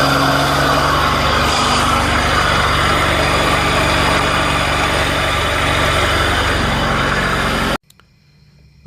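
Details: 2007 Ford Escape, believed 2.3L four-cylinder, at idle: coarse, rough grinding layered over the engine, constant with speed; stethoscope traced it to the bad AC compressor on the lower front right of the engine, which was then replaced.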